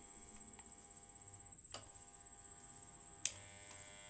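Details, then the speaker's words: Electric fan motor on speed 1 only gives a steady electrical hum with two sharp clicks; it does not turn and feels stiff when rotated by hand. Stalled fan motor. "jadi di sini dia hanya berdengung teman-temannya dia hidup tapi hanya berdengung tidak berputar"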